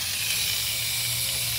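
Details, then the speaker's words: Van with worsening, unexplained coolant loss, engine cold: sharp, steady hiss as the coolant reservoir cap is cracked, and the system stays pressurized when it shouldn't. It also has a slight misfire and a puff of oil smoke; cause unconfirmed. "level went up a little bit it is staying pressurized though that's really interesting"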